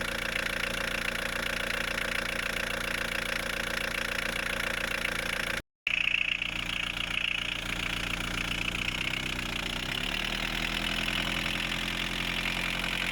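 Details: VW 1.9 TD diesel just started after a timing belt, water pump, pulley and fuel filter change, covers off: steady clattering idle with no belt slap or squeal; healthy.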